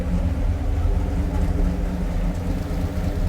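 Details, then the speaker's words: Rebuilt 1968 426 Hemi V8 on dyno after dropped-valve failure, hydraulic roller cam, idling at 22 lb oil pressure: deep, steady, even rumble, no knocks or misses; normal idle. "sounds good to to me that's what I wanted oil pressure see the oil pressure 22 lb on idle"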